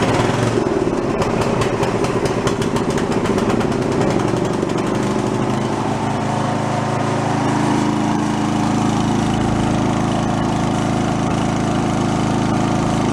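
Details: Toro 1132 snowblower recovered from junk pile, fired up on gas at full throttle: settles from an uneven start into a steady, strong full-throttle drone with no misses or knocks; runs healthy.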